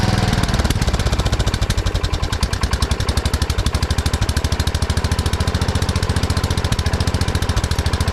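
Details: 1979 Kohler K301 12 hp single-cylinder mower engine after electrical and carburetor repair: fast, even pops at a clearly high idle; carburetor idle adjustment set too far.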